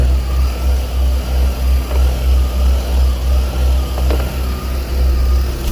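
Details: 2000 Ford Windstar 3.8L, around 140°F, lumpy idle stumbling about three times a second; codes P0171, P0174, P0303, P0455; suspected intake leak or low fuel pressure; rough idle with misfire.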